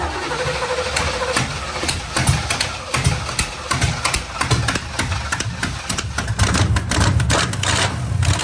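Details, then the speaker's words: 1987 Camaro Z28 V8 running with no mufflers (ripped off) after carburetor filled and accelerator pump checked; loud raw crackly bark with choppy uneven pulses and sharp popping on the rev, open exhaust. "guess there's no Mufflers on this one wow that's right they got ripped off remember"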